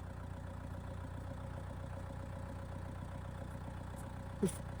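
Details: Diesel tractor at idle before PTO engagement, phone decibel meter on a tripod near the tractor, canopy off; low, steady idle, quiet and even with no knocks or hunting; healthy engine ticking over.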